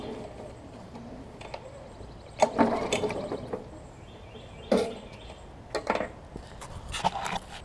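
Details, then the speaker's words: Briggs & Stratton Classic mower engine, pull-cord cranking: rattly popping, no firing; suspected low compression or stuck valve. "it's got a stuck valve on it because I'm pulling it and you hear it like popping and popping everywhere"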